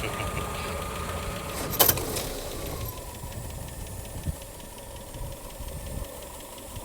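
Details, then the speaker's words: 1961 Ambassador with original OHV MOWOG petrol engine, hand-crank capable; soft even idle with a quiet steady tick and one brief early clatter — normal idle, very smooth and silent engine. "ഭയങ്കര silent എഞ്ചിനാണ്. അതെ, വളരെ smooth silent എഞ്ചിനാണ്."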